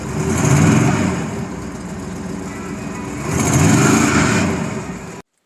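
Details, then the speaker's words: Old truck running rough, fine when cold but worse once warm: uneven, surging engine note that swells and sags instead of holding steady; rough running traced to a vacuum leak at the intake manifold. "it's not that it's not running but it ain't running right and today we gotta track it down"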